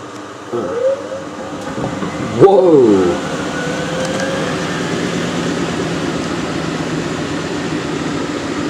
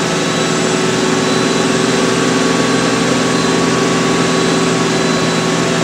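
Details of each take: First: Miele W562 washer, small load of woollens on Minimum Iron 30°C with Short and Water Plus, intermediate spin between the first and second rinses. Motor whine climbs toward spin, then an uneven rumbling thud carries on underneath. The load spins out of balance. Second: Miele W562 washer, Minimum Iron 30°C with Short and Water Plus, load of woollens/hoodies; final spin run-up then back down to 1,200 rpm, smooth steady whirr, constant motor tone, no thumping; nicely balanced, normal spin.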